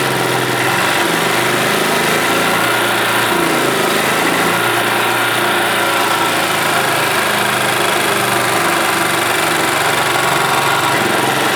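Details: 1991 Yamaha G8 gas golf cart engine after carburetor cleaned of junk and worn-out fuel pump replaced; small single-cylinder holds a steady, even idle, pitch level throughout, no stumbling or surging: running properly.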